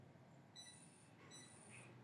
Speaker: तो इस बीप की आवाज़ का मतलब है कि सूर्य प्रकाश अभी अपर्याप्त है, और इस अपर्याप्त सूर्य के प्रकाश के कारण जो फैन है हमारा वो रोटेट नहीं हो रहा।